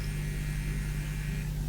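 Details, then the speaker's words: Tube-amp external power transformer on mains with 280 V high voltage: steady hum with a buzzy rattle from loose core lamination plates; pressing them stops it, and tightening the screws changes the frequency. "it is rattling a bit these are the loose plates here if we press that down it does not rattle anymore so we should probably tighten these"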